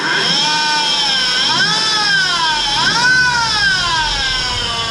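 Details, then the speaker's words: Car bought to flip, new alternator already fitted: loud piercing squeal from the belt area rising and falling with revs, worse with rpm; worn belt idler pulley bearing. "it's uh freaking loud as you can tell i'm not sure what's going on in there something in this belt is making all kinds of noise and it gets way worse even with rpm"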